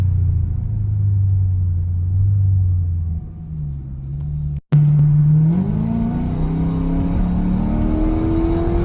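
Loud, deep exhaust rumble while driving, rising in pitch as the car accelerates, from an exhaust leak.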